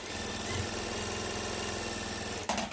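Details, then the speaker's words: Sewing machine winding a bobbin: runs fast with a busy, rattling tap under the hum, as the lowered presser foot keeps striking. "você levanta o calcador tá para ele não ficar batendo olha o barulho com com calcador baixo e com calcador levantado"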